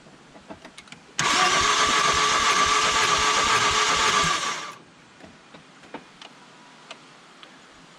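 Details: Mazda 3 that made noise, couldn't go over 65 mph and died while driving. About 3.5 seconds of fast, even cranking at roughly four beats a second, no firing. Compression readings 40, 15 and 20 psi; low compression; timing chain questioned.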